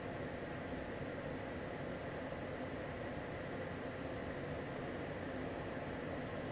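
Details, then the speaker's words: LG portable air conditioner at full power, compressor at maximum and fan on F3, about 59 dB measured: an even rush of air over a low steady hum with no rattles or surges. This is normal operation. "compressor no máximo ventilador no máximo e nós tivemos uma leitura aí de 59 desse 10 aproximadamente da Então esse é o nível de ruído que você vai ter aí no seu imóvel na sua residência tá"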